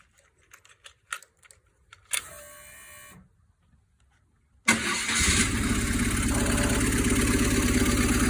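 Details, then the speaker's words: 1995 BMW R1100 GS boxer after head gasket replacement, later start once reassembled: some clicks and a short crank, then it fires and settles into a steady, even idle with no blowing or puffing. Normal idle, sounding much better. "and now it is sounding much better and i even went so far and visa bold is to put the seat back on"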